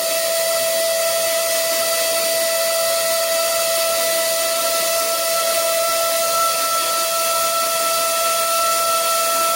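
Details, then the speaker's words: Generic Chinese air compressor safety relief valve, tank near 65–70 psi: loud, steady, trumpet-like honking hiss at a fixed pitch as it vents, then slight hiss as the ball reseats; valve blows off too low. "it is quite loud when it blows off it makes like almost like a a horn kind of sound like someone practicing the trumpet who needs a little bit more practice"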